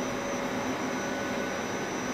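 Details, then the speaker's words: Hitachi VFD-driven water pump starting up after a DC bus overvoltage fault, DC bus about 660 V, around 9–13 A as it loads: steady whirring hum with a thin high whistle; odd pump-like noise, cause not pinned down. "DC bus is good though what was that noise huh kind of sounded like a pump"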